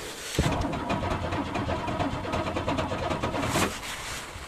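Steady rapid cranking pulses for about three seconds, the engine never catches or fires; a cold no-start with the cause not yet known.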